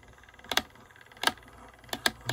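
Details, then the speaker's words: VIC II motor with brief metallic rattles about every half second, as badly worn teeth on a replacement spring barrel gear fail to engage the spindle properly; the governor slows with each rattle. "it changes it slows it down every every time you hear that little rattling noise slows it down so this is the part of the spring Barrel I marked and you can see the the teeth here wow all right there we go the teeth in this section are pretty badly worn"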